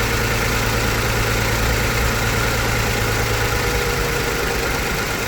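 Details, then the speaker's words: 2008 Mazda CX-9 at idle, codes for cylinder 1 misfire and injector 1 open circuit: slightly uneven, loping beat over a steady hum; one dead cylinder from the open-circuit injector. "we did another scan came right back up injector One open circuit"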